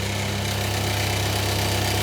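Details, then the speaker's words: Sherline 5000 mill with new home-cast pulley, running flat out at about 4170 rpm: fast steady machine hum with rapid flutter from the too-loose drive belt flapping; needs a correctly sized belt. "that noise is the belt flapping around but uh on over cheating my aim that's the important point"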